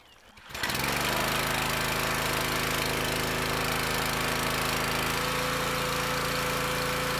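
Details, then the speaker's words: Petrol pressure washer, before repair: on releasing the wand trigger engine bogs and struggles with dull labouring note, sounds different than it used to; abrupt stop at shutdown; high pressure not let off, suspected failed unloader valve. "so you see when i let off the handle it bogs down and it struggles and then when you when i shut it off you notice how quick it shut down or the engine stops spinning tells me that something ain't letting off"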